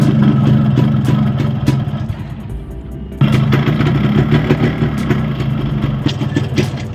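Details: Yamaha RX135 two-stroke (Tiger E4 series block) with a size-50 piston, before teardown: hollow, uneven knocking under the exhaust note at idle sharpens on throttle blips, pointing to a worn, slapping piston. A new piston or rebore is planned.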